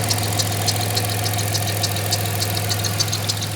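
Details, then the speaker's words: 1996 Dodge Grand Caravan after fixing vacuum leak, warming up: steady, even idle with low hum and faint light ticking, hiss gone, idled down much smoother; normal idle. "Oh, it's already idled down. Much smoother."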